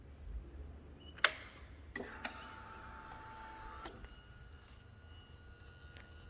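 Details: 2013 Triumph Tiger 1200, key turned to on, from the left side: a click, then about two seconds of soft buzzing whir with a thin high whine fading to a faint tone; normal key-on noise, stops once running.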